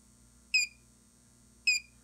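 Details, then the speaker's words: Xantrex Prosine 1800 pure sine inverter on a DIY six-module Nissan Leaf battery pack (25.2 V full): two short high chirps about a second apart over a faint hum, the low battery warning as input falls to about 20.9 V. "you see the low battery so there's your alarm right that says hey batteries are low which is good"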